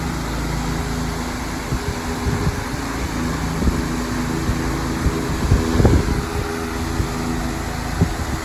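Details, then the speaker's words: 20-inch Patton fan on medium speed: steady low drone with heavy shaking hum and scattered knocks; heavy vibration from blade imbalance. "It's shaking really fast. I don't know if it's really picking up in the camera, but right along here I can definitely see a lot of heavy vibration."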